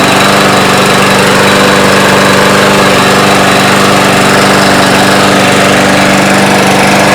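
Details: Yard Machines mower with newer Briggs engine after plastic carburetor service, recoil spring and rope repair, old gas emptied: loud, steady single-cylinder chug at even speed, no misses or surging; running properly.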